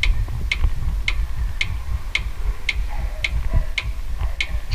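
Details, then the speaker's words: Kia Sorento V6 suspension noise while driving over road undulations: sharp metallic ticks about twice a second over road rumble from a cracked subframe body mount, cracked internally. Repair needs subframe removal and an internal reinforcement. "está o barulho é esse aqui ó andando com o carro com as vibrações ondulações da rua ele faz esse barulho aqui"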